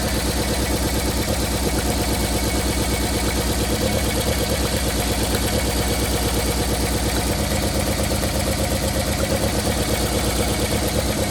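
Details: 1990 Toyota Corolla LE sedan with a 4A-FE engine misfiring at a steady idle: an uneven, stumbling beat about three per second with one cylinder dropping out, attributed to a blown head gasket.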